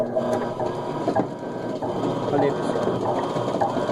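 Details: Electrolux LT12 washing machine that hummed without agitating. Regular back-and-forth whirring strokes with gear clicks about once a second, smooth and strong; normal agitation.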